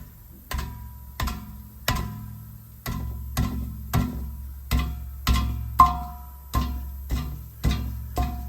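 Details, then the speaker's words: Under a running car with a CVT: hollow uneven clunks over a low idle hum from something loose rattling inside the exhaust resonator; this was not the customer's high-frequency reed noise, which came from the other side of the engine. "something rattling around inside this resonator"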